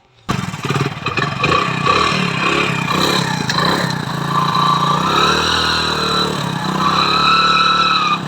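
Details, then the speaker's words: Hero Splendor Pro motorcycle: the engine gives a steady humming sound with a faint rising whine whenever the bike moves forward; abnormal hum, source not yet identified. "तो जब भी हम bike को आगे बढ़ते हैं तो engine से हन्ना की साउंड आता है"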